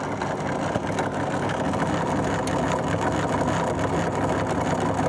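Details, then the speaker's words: Fagor FUS 6116 IT washer dryer tumble-dryer fan: loud, steady, rough buzzing rattle as the rotor bounces side to side, no longer held by its bearing at one end; worn fan motor bearing. "This fan was bouncing all over the place and making quite a noise."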